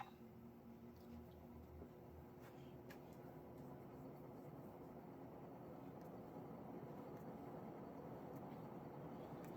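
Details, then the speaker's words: Montgomery Ward 4E-2W 48" ceiling fan, made circa 1981–82, on high speed: soft, even whoosh over a low hum; the groaning heard on lower speeds disappears, so it runs smoothly. "as you can tell that grown goes away on the high speed here"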